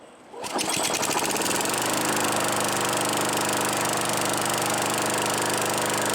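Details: Craftsman Eager 1 mower 917.383241, final start after tightening hardware and new air filter assembly; starts and settles into steady, even single-cylinder drone with fast regular firing beat, no fault found. Normal running.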